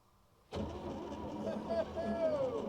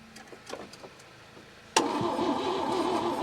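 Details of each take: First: 1961 Chevrolet Biscayne, 235 inline-six with 3-speed column manual, sat in a junkyard 30+ years, engine not stuck, first key turn: starter engages cleanly and turns engine over with steady even whirr, no grinding or clicking; starter works. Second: 1961 Chevy Biscayne, 235 inline-six, three-speed manual, sat 30-40 years in a junkyard, fed from a gas bottle on a jumped weak battery: several seconds of cranking then one sharp intake bang, never catches; backfire, timing or stuck valve suspected.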